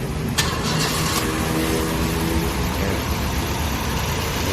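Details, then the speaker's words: Nissan engine with shaking linked to an oil leak, after plug and ignition checks; idle was previously 600 rpm, too low. It starts and settles into a steady, even idle at about 1000 rpm with no shake or miss. "นิ่งคิดเลยจะไปดูรอบกันว่ารอบเครื่องอยู่ที่เท่าไหร่นะเดี๋ยววันนี้รอบเครื่องอยู่ที่พันรอบเลยอ่ะอ่ะถือว่าใช้ได้"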